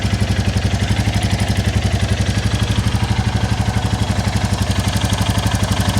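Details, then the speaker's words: 2022 Royal Enfield Classic 350 single-cylinder after a quick valve check and adjustment, low on fuel: steady even thumping about four beats a second, no clatter; quieter than before, some exhaust blow remains, sounds normal. "it sounds a lot more like the meteor anyway and it's not making me think oh that's a noisy engine"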